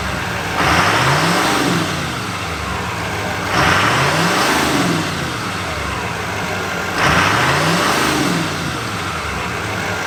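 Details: 2024 GMC Sierra 2500 AT4X Duramax L5P diesel, new turbo, not yet tuned: three short revs, each with a loud whistle climbing and falling with engine speed over the diesel rumble; strong but normal turbo spool.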